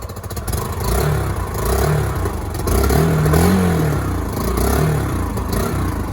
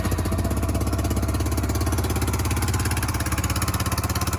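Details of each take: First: Yamaha YBR 125 single-cylinder, 15,000 miles, after an accident: engine revved in a few quick blips, pulling up cleanly and dropping back smoothly, even firing, no knocks or rattles; sounds healthy. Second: Yamaha YBR 125 Custom single-cylinder being checked after an accident: sharp regular exhaust chuffs about three per second over the thump; still blowing a little at the bottom exhaust joint, may need a new gasket.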